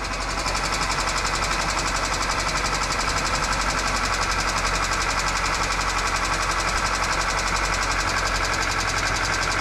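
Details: 2008 Kia Rio after sitting three years, first start after starter replacement: steady rapid knock near three per second over rough idle; abnormal noise, possibly pulleys dragging or smoking, unconfirmed.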